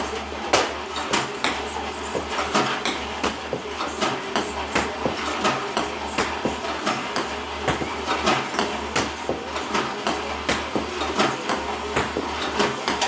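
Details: iPong Pro ball launcher, 4 weeks old, about 2 hours run time, clean Joola 40mm balls, power cord fully plugged in: irregular sharp clacks about every half second, some uneven or skipped; misfiring increasingly often, cause unclear.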